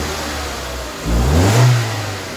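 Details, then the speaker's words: 2002 Nissan Almera 1.6 petrol, recently recovered after being stolen, that had misfires and an engine management light now idles evenly after a new 3-pin ignition coil, taking a quick rev blip and settling back without stumbling. "Okay, as you can hear, that misfire is definitely gone."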